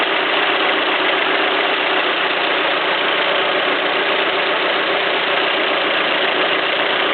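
Busy, hard-edged idle with a bright clattery rattle over the engine and no clean beat; some clacking is present, but the source is unknown.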